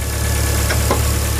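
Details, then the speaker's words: 2000 Ford Focus 1.4 after cleaning the idle control valve with carb cleaner for a hunting idle: short steady idle with even low beat, no ticks or misses; no odd exhaust noises, sounds settled and healthy. "she's ready to go go but yeah I mean she's there's no funny noises AP from the exhaust she sounds like she felt good there's no funny noises"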